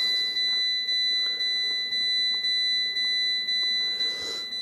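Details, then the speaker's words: Fiat 500 interior with diagnostic scanner connected for resets: a high electronic chime repeating about twice a second in a quiet cabin. Persistent seatbelt warning chime sounding without cause; it eventually stops. "It always does this seatbelt thing for some reason when you do this, don't know why. Right, we'll disconnect that. I wish it would shut up though, it does stop eventually."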